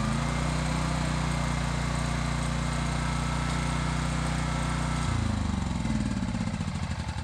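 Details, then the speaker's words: Low-hours Honda EX1000 generator driving a heat gun switched to high at full load (maybe around 1350). Steady low drone, then pitch wavers and settles as the load changes; normal running under load. "I'm going to put it on high but I'm going to turn it right up to full block which theoretically should be a [Music] may-maybe 1350 around there you can really really hear working now"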